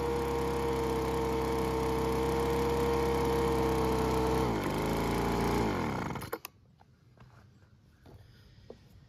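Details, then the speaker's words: Weed Eater BV1650 two-stroke blower vac after Walbro carb kit, screw retuned, air filter and cover refitted: high even buzz at steady speed, winds down cleanly; running properly. "so I got it tuned I put the air filter and cover back on and uh it's actually run pretty good"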